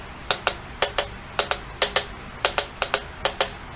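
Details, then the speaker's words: Kamado K7 charcoal smoker (RJ years) mosaic dome, tapping tiles over a body crack before removal: sharp paired taps, some solid, others dull and hollow where tiles over the crack have come loose; hollow tile tap test. "You can actually hear sound, and this is all I'm using right here, but I don't know if it's going to come through on here. You can hear solid, then hollow."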